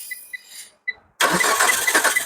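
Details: Car started by applying power directly to the fuel pump and starter wires with the relay removed, using a test pen: a few faint beeps, short pause, then the engine catches and runs evenly; normal cranking and start.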